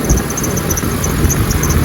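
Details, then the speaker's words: Jeep Cherokee XJ 4.0 idling with a high, chirpy squeal repeating over the engine, traced to a worn idler pulley on the accessory belt, which is then replaced. "Hear that noise? Coming from that idler pulley down there, you guys."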